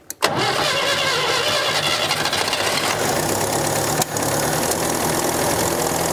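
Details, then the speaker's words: 1965 Datsun 320 pickup abandoned over 30 years, first start with choke on and squirt of fuel: fires after brief crank, runs rough and uneven several seconds, sags, then dies; starts then stalls, possibly fuel starvation, not confirmed. "I thought I was going to sit there and idle I did too and then whenever it started to die I was just like I was already bring"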